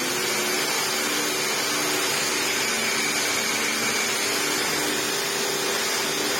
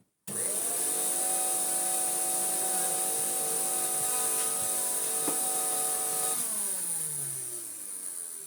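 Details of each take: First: 1998 Hoover Turbopower 2 upright vacuum with replacement motor, reassembled with a new old stock drive belt: steady, even motor whir and smooth brush roll hum, no slapping or squeal, bag inflated, belt stays on; normal running. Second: 1998 Hoover Turbopower 2 vacuum, 1100W motor, after fitting new motor bearings: it spins up to a steady whine that sits lower and rougher than it should, then winds down. Sounds better, but a deeper motor fault is suspected. Vacuum motor running slow.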